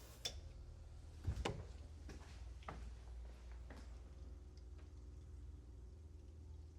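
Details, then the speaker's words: Land Rover Series 2A being returned to unleaded petrol after years on LPG, with new fuel pump; slow uneven light ticks over a low hum as the pump primes the carburettors, normal; a leak later found under one float bowl. "I can hear fuel. There is fuel in those."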